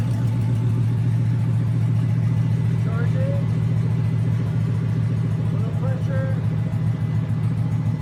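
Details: Junkyard 2009 5.7 Hemi V8, about 80,000 miles, with Hotwire harness and 09 Challenger PCM, idling on a run stand with coolant and fans running: steady, even smooth low rumble, no knocks or ticks, fans whirring. Normal idle.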